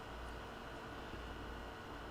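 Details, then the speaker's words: Maytag MTF2156GEW top-freezer refrigerator (leaking, not cooling, compressor stopped) after a hard-start kit was installed; low, steady, even compressor hum with no clicking or cycling, running normally. "so I'm going to plug the unit in and I hear the compressor is now running"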